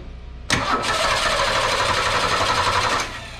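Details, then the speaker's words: 1961 Ford Falcon Delivery after exhaust leak fix with 66 Mustang manifold; quick catch and smooth even run, no misses; sounds better on startup than before. "you all definitely sounded better on startup on this one i don't know about you guys"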